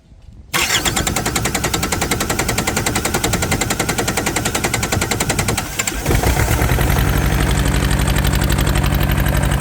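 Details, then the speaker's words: Yanmar TK486 4-cylinder diesel just started with the throttle low: rough, lumpy clatter with an uneven beat, heavy pulse when revved; not running on all four, with a massive fuel leak later found. "It doesn't sound like I'm running on all four. I crack each line loose and see if anything happens."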